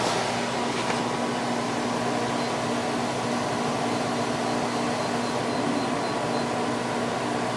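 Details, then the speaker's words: Idylis 12,000 BTU portable air conditioner in basement just after start, low fan speed, drawing 7.3 amps and 767 watts: even airy fan rush over steady compressor hum, no rattles or cycling; already cooling, healthy. "Goes down to 61. It's on low fan speed right now. Can already feel it starting to get cold. We are at 7.3 amps and 767 watts."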